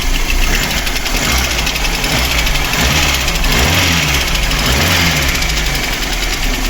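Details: VAZ 2108 petrol engine, fully cold after sitting overnight, idling with a quick, steady tapping knock that seems to come from the camshaft on top but starts lower down; owner says no ticking when cold.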